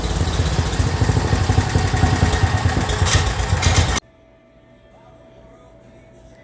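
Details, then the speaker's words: Black Widow go-kart with 10 hp Briggs engine, newly mounted, running at full throttle after a fuel leak was stopped, temporary throttle cable; loud single-cylinder bark held at high revs then cut off, pulling strongly, normal running. "right well I was able to get the engine running and then getting full throttle and I stopped that fuel leak"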